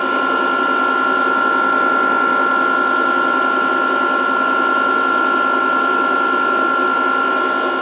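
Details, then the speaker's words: VFD cooling fan running normally while reforming capacitors at 140 V input; drive flashing under-voltage and stop. Steady high-pitched whine with a constant airy hiss, no rattle or wobble. "But anyways, under voltage and it's flashing stop and da da da. But you can hear the fan and you can hear everything."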